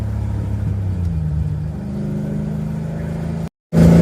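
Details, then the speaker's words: 1982 Ford Mustang GT, rebuilt 310 cu in (302 bored 60 over), heard from inside the car on a test drive after fitting straight-through mufflers without tailpipes; deep rumble with choppy cam lope coming through more than with the old chambered mufflers. "You can hear the cam chop a bit more with these mufflers than you could the other ones. [Music] These don't wash out the cam as bad."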